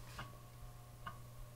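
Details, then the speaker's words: Commodore 1581 3.5-inch disk drive during refurb, saving a file with write protect tab set to write-enabled: two crisp ticks about a second apart over faint steady motor hum; normal head stepping during write. "i'm going to try to save this as hey one which will be the file name with it right enabled look at the led here"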